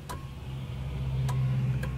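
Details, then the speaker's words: Honda Accord (CC7) warm engine that cranks but won't start, key at position one; over a low hum, three sharp irregular main relay clicks instead of the normal two, main relay failing. "You can hear there are too many clicks."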